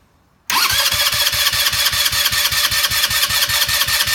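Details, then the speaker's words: New TMS GY6 150cc engine in a go-kart, with no power and slight smoking, cranked for a compression test: the starter spins evenly with weak pulses reading only about 95–100 psi, below the 13-year-old old engine; rings suspected defective, misinstalled or cracked. "so as you can see you only have about 95 to 100 pounds of pressure on the brand new onesie the Rings are obviously defective or install wrong or one was cracked"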